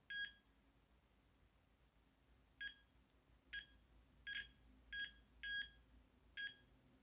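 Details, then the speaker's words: After resoldering the gas valve board pins on a Carrier Weathermaker gas furnace, the continuity meter gives short clean high beeps with no dropout, without pressing on the pin, so the joint now conducts solidly. "When I leave it on there, it produces a nice even sound, but I'm trying not to push on it, so therefore, seeing that, I've repaired the damage."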